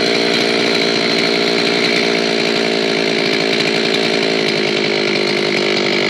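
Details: An old Zenoah chainsaw, repaired after it would not start from sitting unused, screams at a steady high rev under load with a full, even buzz and no sputter or bogging: running clean after the fix.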